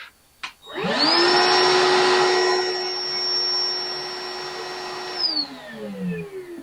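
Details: Bauer 20V 7-gallon cordless wet/dry shop vac, with the mic on its strap at a set distance for a sound test: the motor spins up to a steady high whine, holds an even pitch, then winds down smoothly, running normally.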